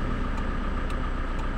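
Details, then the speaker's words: Toyota Innova 2KD diesel, which had cranked without starting, after fuel pressure testing: even, low diesel rumble settling into a steady idle with no misses or knocks. Now starts easily. "Nah jadi ini mesinnya sudah hidup sudah gampang Alhamdulillah"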